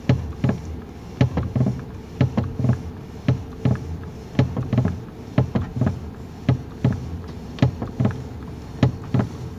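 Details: 2019 Toyota Rush, engine idling, steering wheel swung left and right: dull clunks in uneven clusters every few seconds from under the column; suspension checked good, cause loose steering column bolt and bushing.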